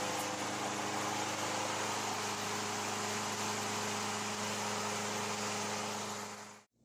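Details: Older Craftsman 22-inch mower, Briggs & Stratton 6.75 Quantum L-head, after carburetor rebuild: steady, even pitch, smooth drone, no misses, then clean shutoff; runs normally.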